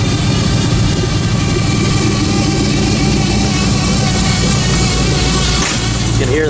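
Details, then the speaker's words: Cold start on a '56 Buick with Hydro Boost and a stage one Summit cam: steady high whine over a loud, even cold idle right after start-up, fading once warm; owner suspects air trapped in the power steering pump (transmission already replaced). "it started making that noise and it still does it so I'm pretty sure it's the power steering pump it has Hydro Boost so I think there's just some air in there that uh gets trapped in there when you first start it"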